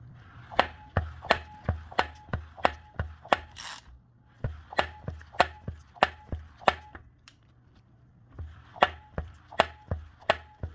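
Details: Subaru engine at idle with sharp, regular knocking about three a second over a low engine hum.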